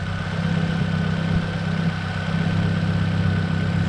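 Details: 2005 Nissan Sentra after new ignition coils, spark plugs and MAF sensor: an even, steady low idle with no misses or knocks, just a loud, deep exhaust drone. Normal idle.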